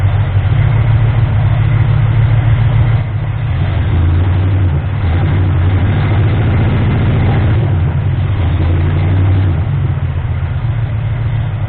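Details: Ford 351M V8 being diagnosed for misfire and rough idle. Low, thumping idle with an uneven pulse that dips and recovers over several seconds. Still rough; the owner suspects ignition timing, and the harmonic balancer timing ring was found spun.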